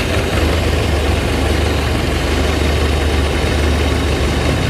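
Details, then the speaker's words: Suzuki Zebra 1.3 carburetted engine after idle screw turned down (float needle had been too tight): even, steady low rumble at idle with no stumbling or surging; plugs and compression seem normal: normal idle. "Dari suaranya sepuyer tadi pada sudah kita kecilkan, sudah terdapat enteng."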